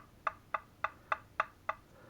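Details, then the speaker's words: 2009 Mitsubishi Lancer: the old driver's-side lower ball joint, built into the control arm, is rocked by hand. Six sharp hollow clacks from its excessive play, which caused knocking while driving. Worn lower ball joint. "this here is the old one from the driver's side that I've already completed but look how loose that is and you can hear that knocking when you're driving along"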